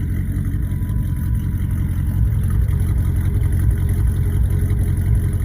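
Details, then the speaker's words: 1934 Plymouth coupe, finished build: deep steady low rumble with a light rise in revs, firing smooth and even with no tapping or misfire; runs really well. "Sounds good, too, and it runs really well."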